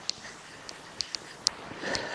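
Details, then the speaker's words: Bagged 1965 Cadillac air suspension after an airline blew on a cruise; the line was refitted and held briefly at key-on, then a faint steady hiss with sharp ticks: air leaking at the just-repaired fitting. "it seems to hold air oh I hear it leaking"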